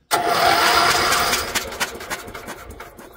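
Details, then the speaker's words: Briggs & Stratton electric-start generator, unrun for years: a short burst of cranking whirr and clatter coasts down without catching. There is no spark even with a new plug. "Oh, I don't think we've got a spark here, guys. No, we have no spark."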